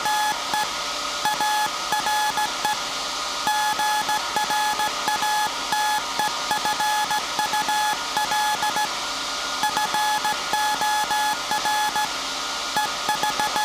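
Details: SAQ Grimeton 1924 Alexanderson alternator VLF transmitter on 17.2 kHz CW, December 1st 2024 centennial transmission: steady high beeps with irregular dot-dash timing over constant hum; normal CW keying.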